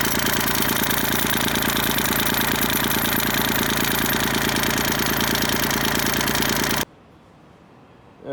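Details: Kubota tractor loader handle at idle before the fix: a fast, even buzzing rattle, about three beats a second, then a sharp stop. It comes from the washer at the upper lever joint and is fixed by fitting a metric R-05 O-ring under the washer.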